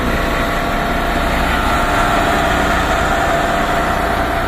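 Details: MAN diesel dump truck, sat about six months, running after electrical system repair of cut wires: loud, steady diesel idle with even rumble and no misses, knocks or rattles; healthy.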